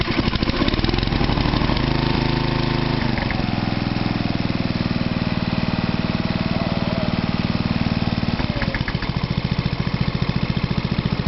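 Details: Toro 832 ride-on mower single-cylinder engine with a new carb, battery recharged, engine not that hot: catches and settles into a steady, even putter with a brief throttle change; normal start-up and idle.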